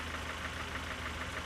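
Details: Nissan truck, engine noise started a few months after purchase, loudest when cold; sharp, regular metallic knock about six a second over steady idle; piston slap, likely cylinder three.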